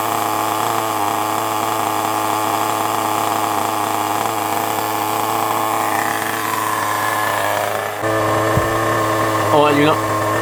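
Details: FTX Carnage nitro RC car: high, steady buzzing drone holding an even pitch, shifting smoothly near the end, no misses or sputter; healthy running.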